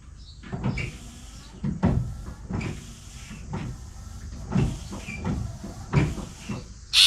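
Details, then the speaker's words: 1966 Ford Mustang windshield washer pump, run from dashboard switch with ground jumpered to harness, car stored 12 years: pump surges on and off about once a second instead of steady; low voltage from poor two-pin connector; ran fine direct to battery. "It kind of runs but acts strangely overall. There's something going on here. [Music] What the heck? It's almost like the circuit is pulsing the pump."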